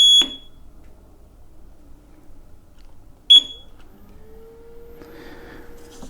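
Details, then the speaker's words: KingSong KS18XL electric unicycle after its firmware 2.0 update, recalibrated through the EUC World app: two short, sharp high beeps about three seconds apart signal calibration complete. Motor whine is gone after the update. "it calibration is complete you see world app is a plus in my book beautiful"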